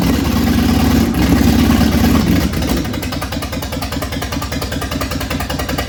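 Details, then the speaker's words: 1965 Ford Thunderbird, Ford FE 390 V8, after hooking the fuel line to the tank: runs rough and loud, then sags and falters as it dies; longest run yet, fuel issue suspected. "that's definitely the longest it's run so I think it is a fuel issue if anything right now"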